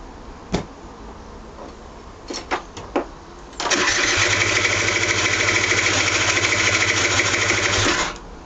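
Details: Aprilia SR 50 DiTech scooter cranks with short bursts then fast buzzy cranking that sounds as if it catches but never runs; began after someone altered the mixture screw, spark plug cleaned but black again a day later. Cause suspected, not confirmed.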